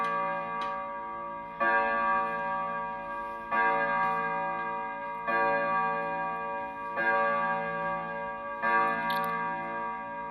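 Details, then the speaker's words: 16th-century Dutch pendulum clock, the morning after repair; extra wood removed so it hangs straight. Slow, evenly spaced beats about every 1.5 s with ringing tails. It runs steadily and healthily. "it is the next morning the clock is still ticking we did have success"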